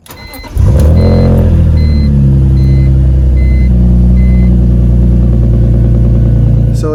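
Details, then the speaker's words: BMW E46 M3 cranking briefly on first try then catching and settling to steady idle; intermittent hard first start despite new fuel pump and filter and good relays and fuses; owner suspects fuel delivery, tries injector cleaning. "it doesn't want to start it still cranks but for some reason it feels like there's not enough fuel that's getting to the engine if i crank it one more time right after it starts right up"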